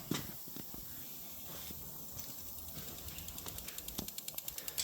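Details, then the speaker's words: Armin GTO with link ECU, not starting, injector output test from software: fast, even ticking about nine clicks a second; injector one clicking on output test, injectors OK, ignition outputs 2 and 3 failed. "and you can hear pulsing that's injector one injector one starts here"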